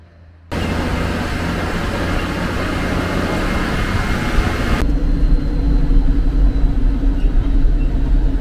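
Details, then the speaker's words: Magirus Deutz diesel truck after hard climbing in mountains: rough, uneven rhythmic clatter about two or three beats a second over the deep rumble, a new noise not heard before. "On entend un bruit. On entend un bruit qu'on n'entendait pas avant. Bon, ça fait de la musique, mais bon. C'est que c'est pas normal."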